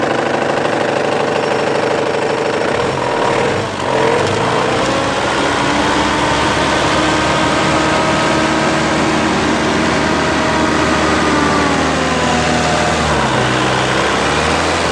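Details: Mitsubishi 4D56 diesel at idle, morning start: an uneven knock over the normal clatter, apparently from around cylinder 4. It appeared overnight with no warning; the engine was fine when shut off.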